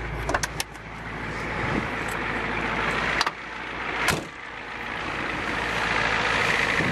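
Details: 1990 Ford E-350 Goshen bus with 7.3L diesel at idle: low steady even idle with a few handling clicks and knocks; engine sounds healthy, quiet from the rear.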